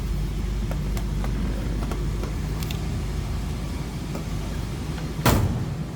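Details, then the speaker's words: 1966 Ford Mustang coupe, 289 V8, no crazy exhaust, idling after cold start: low, even burble with steady unhurried beat, no ticking or misfire; sounds as it would have back in the day, running normally. "What you'd expect out of a 289, no crazy exhaust. Sounds like it would have back in the day."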